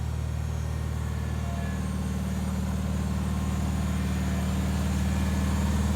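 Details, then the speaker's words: 1974 Bolens HT20 garden tractor on a test run at dusk after replacing a burned-out coil (it had stalled, apparently from a fuel issue): steady, even thrum at constant speed with no misfires or knocks; running well. "that went pretty well it's good to get the ht20 running"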